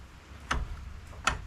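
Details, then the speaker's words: Polaris Sportsman 500 ATV, engine running, winch fed 12 volts: two sharp crackling ticks about three quarters of a second apart over a low engine hum; winch never turns, only the connection sparks; owner suspects the winch is toast. "no nothing it's still sparking and it's getting full juice"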